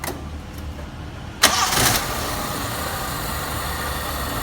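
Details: Daihatsu Classy that stalled suddenly while driving, started after work on the distributor converted from points to CDI. Short crank, then it catches and settles into a steady, even idle with no misfire or stumble. Normal start.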